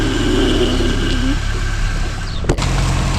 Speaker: frale cuando suena de de esta manera Hay una fuerte fricción de metal de la pastilla con el metal del disco y es muy probable que el disco esté dañado y haya que cambiarlo